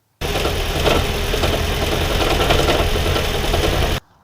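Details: 2014 Gen 3 Toyota Prius petrol engine before repair: a rough run with uneven knocking at about three or four thumps per second and shaking. Owner suspects anything from a failed PCV valve to a head gasket; unconfirmed.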